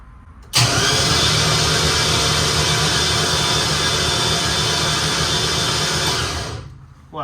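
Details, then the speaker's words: Z2H8 turbo drag Camaro after complete rewiring, cranked on the starter only to check oil pressure (reached 42-43 PSI): steady, even starter whir with no lumpy compression pulses; engine spins freely, normal cranking. "but really all I'm looking for right now is oil pressure so we'll go ahead and crank her over and see what she makes"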